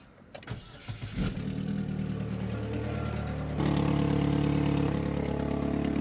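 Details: Quick start after belt tensioner work to check belt: short crank, engine catches at once, settles into steady even idle with belt running quietly; sounds healthy.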